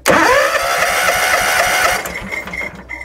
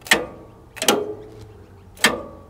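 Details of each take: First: John Deere X300 mower cranking without starting: starter turns engine about two seconds with even chugs, compression good, fuel reaching plug but no spark; suspected faulty ECU, to be replaced. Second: John Deere X300 mower during fault finding for no deck engagement with a suspected faulty ECU: three sharp metallic clacks, each with a short ring, a crisp clean pull-in; deck PTO clutch engaging properly.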